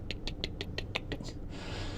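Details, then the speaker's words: Can-Am Spyder RT-S at idle after EVAP parts were installed: quick light ticks about six a second over a low hum; EVAP purge valve clicking, runs at any time, normal. "So you can if you listen some of them are louder than others and you hear them going click click click click click click click click."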